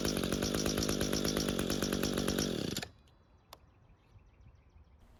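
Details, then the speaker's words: Echo string trimmer with a new air filter, restarted while hot: a crisp, steady two-stroke buzz holding even speed, with a clean cutoff. Normal hot running and restart. "that was very unexpected. I wasn't sure if this carb was going to work, and I also didn't expect this machine to work as well as it does."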